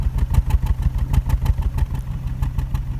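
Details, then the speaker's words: 2005 Volvo V70 petrol at idle with misfire code and check engine light: uneven lumpy rough idle from misfire; spark plugs and ignition coils to be replaced. "It's got a misfire code, and as usual with these things, we have a check engine lights. You can see there, and I don't know if you can hear this, but you can kind of tell that it's not running quite smoothly."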